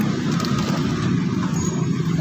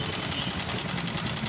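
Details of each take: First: Honda Vario 150 LED scooter after the fault behind its engine ticking was fixed (tensioner suspected): an even, steady idle with no top-end ticking left, just a smooth small-engine hum; engine back to normal. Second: Honda Vario 150 (LED) scooter at idle: a fast, even, sharp tick of about ten per second over the idle, from a worn automatic cam chain tensioner letting the chain slap.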